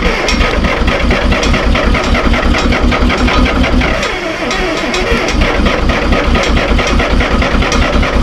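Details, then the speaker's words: Terex TX 72-31 with 6V53 Detroit diesel, first start in 20 years on old fuel: rough, uneven clatter with irregular beats near two per second and heavy low rumble, heavy smoke; suspected couple of injectors hung up, bad 20-year-old fuel. "Sounds like it might have a couple injectors hung up."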